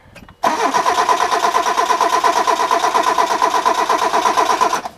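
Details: Hyundai crank-no-start with two-stroke gasoline sprayed into the intake and a battery charger connected; no fuel pump sound was heard earlier. The starter cranks steadily at about three beats a second and it never catches or fires.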